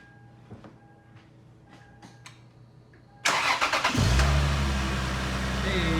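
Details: Toyota 2JZ-GE VVTi, first start after replacing the leaking cam gear inner O-ring with the gear on the car and timing marks realigned: quiet ticking, short crank, then an even steady idle; starts normally, to be warmed 10–15 minutes for a leak check.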